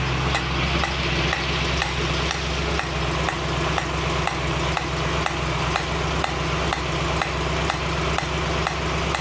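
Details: 1965 Mustang GT Convertible V8 running after installing a Tuff Stuff 7068K 140 A alternator, fan on: a new steady sizzling hiss with faint ticks about twice a second, apparently from the carburetor; source unknown.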